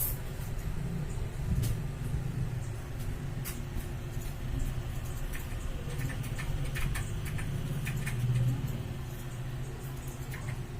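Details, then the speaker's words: Astron electric fan that had dried out of oil, after oiling, run on speed 1: a soft, steady low hum with only a few faint ticks and no scraping or rattle; now quiet and running normally. "Tahimik na po si kapatid."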